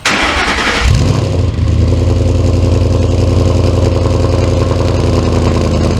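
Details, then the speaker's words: Ford Mustang V8 on stock tune, cold start with very low fuel: engine catches and settles to a steady, even burble at about 800–850 rpm, no stumble; idle issue mainly appears when warm around 650 rpm. "it's still idling it like 800 850 RPM something like that my fuel is very low as you can see"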